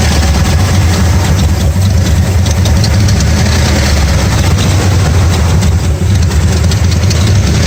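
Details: 1994 Dodge Ram 5.9L V8 with codes 37 and 51: loud uneven lumpy stumbling idle with scattered backfire pops; cause was a failing crankshaft position sensor, replaced to fix it.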